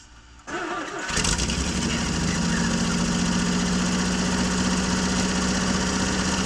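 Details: 1965 Jeep Wagoneer, original 3.8-litre 230 cu in overhead-cam engine, after refitting the distributor, gapping the points and setting the valves, first start after 20 years: brief cranking, catches in about a second, fairly steady slightly uneven idle.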